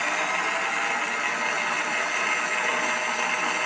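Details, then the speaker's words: Philips mixer after repairing its motor, which previously would not spin at all: even, high whirring hiss at constant speed, no rumble or grinding. The motor now runs and the mixer works again. "Oke, ada teman-teman mixer Philips ini, mixer dari merek Philips ini sudah berfungsi kembali. Yang awalnya ini tidak jalan sama sekali, dinamonya tidak dapat berputar. Sekarang sudah nyala dan sudah bisa digunakan teman-teman."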